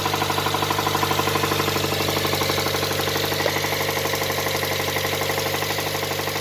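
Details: Nissan R'nessa: hard, even knock about two and a half per second over a rough idle, deep in the block; spun rod bearings, engine finished.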